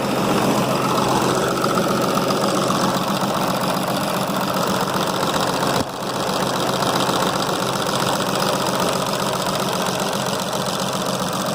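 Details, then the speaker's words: 6.7 Cummins diesel after freeing a valve bridge jammed under the rocker: loud idle with an uneven, stumbling beat about two or three times a second; the earlier noise is gone but a misfire remains. "well now we're going to start it and see if see if the noise stops it has an engine missed but the noise is"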